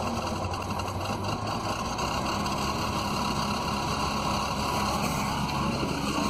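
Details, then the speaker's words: Magnet excavator generator running: steady thin high-pitched squeal over the even drone, from something at the back, easing off a little; squeak, source unknown. "so the generator's Turning but it sounds like something squeaking back there a little bit so yeah that squeak went away a little bit"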